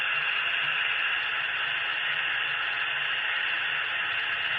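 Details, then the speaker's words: Atlas Gold Series Chessie B30-7 HO locomotive with original QSI sound decoder, before ESU LokSound upgrade. Thin, harsh hiss and crackle with no low end and no clear engine sound; the poor speakers distort the output and are to be replaced. "If you heard that sound where that was coming out of them, those speakers sounded pretty bad. All that crackling and stuff."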